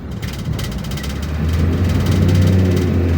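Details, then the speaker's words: Nissan X-Trail T30 automatic in D climbing to about 3,500 rpm with rising engine note and no shift drop; transmission stuck in first gear, not even jumping to third or fourth as usual, the owner's complaint. "ada perpindahan sama sekali seharusnya kalau seperti ini ada lompatan ya"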